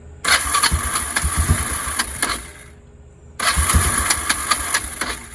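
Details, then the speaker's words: Kawasaki Prairie 300 ATV after exhaust work: engine catches, runs unevenly and dies between attempts; it had run out of fuel. "don't know if I'm out of fuel because it started acting up just before I shut it off. Yep, we're out of fuel."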